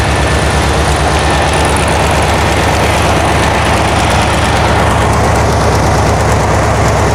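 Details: 1972 VW Karmann Ghia, air-cooled flat-four, first run after sitting for many years, carb choke just adjusted: a loud, low idle thumping at about three beats a second, somewhat uneven; a little jumpy, and the valves have not been done yet.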